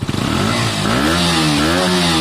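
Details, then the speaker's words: KTM 125 single-cylinder motorcycle on stock exhaust before aftermarket fitting, starting and blipped: quick catch, crisp even meaty note rising and falling cleanly; sounds fine. "I think that sounds fine. I quite like that sound."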